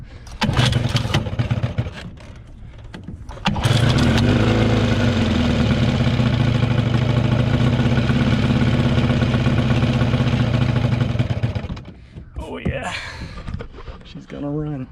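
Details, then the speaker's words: 1979 Johnson 15hp two-stroke outboard, sat over two months, cold start after replacing some fuel lines; a couple of pulls, catches and runs with steady, even buzz about eight seconds; no longer sucking air, clean start. "so that was that was much easier than expected looks like replacing those few lines helped a lot it's not sucking air anymore and it's it's getting the right mixture"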